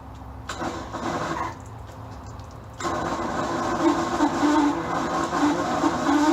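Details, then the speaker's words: Bayliner boat V8 being winterized in cold weather with fogging oil: several slow, labored, uneven cranking bursts at about three turns a second that never catch; the starter is shot and was then replaced. "Hey, welcome back to Cheapskate Garage, where this winterizing the boat went into changing a starter on the boat because it's shot."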